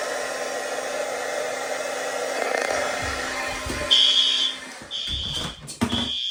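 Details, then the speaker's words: Monthly fire alarm test: heat gun blows steadily on a heat detector, then shrill high alarm tone starts in repeating bursts about once a second as horn strobes activate; horn sounding, strobes confirmed good. "There she went. That strobe in here is good. That horn strobe is good."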